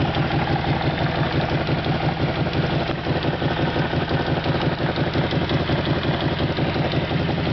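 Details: SF Moto X8 quad, cold start: about 1.5 minutes after starting, a ringing, clattery, intermittent tick at roughly three per second over a fast idle, from low on the left side; valve-like but both heads sound fine, and it fades once warm.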